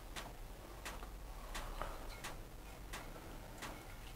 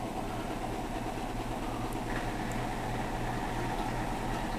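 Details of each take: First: Hotpoint NSWM 1043C 10kg inverter-motor washing machine on spin: faint sharp tick about every 0.7 s over a quiet spin; owner suspects a spring inside has moved and ticks against the side; cause not confirmed. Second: Hotpoint NSWM 1043C W UK N 10kg inverter-motor washer spinning a possibly unbalanced load (dust sheet, rags): steady, even spin hum with pump underneath, no heavy thumping, though various peculiar ticks noted while spinning; spinning and draining normally.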